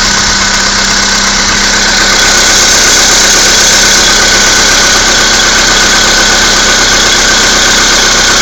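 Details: Skoda Fabia II 1.6 CFNA, 22,000 km, cold start at -16°C: cold idle with fast, fairly even tapping about four times a second over a loud hissy engine note; unexplained knock, cause not identified.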